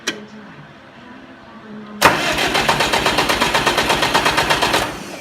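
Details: Oliver 550 diesel tractor after new injector installed: quiet pause then even starter churning about seven beats a second for three seconds, no firing; cranks but won't start.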